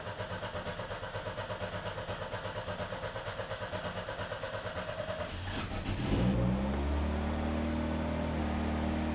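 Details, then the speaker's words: 1987 Pontiac Fiero, first start after repairing its stretched throttle cable: even cranking pulses for about five seconds, then it catches and settles into a smooth, steady run, and the engine sounds healthy. "All right, I think we can go ahead and fire it up. I think she might be good to go. At least the battery's not dead."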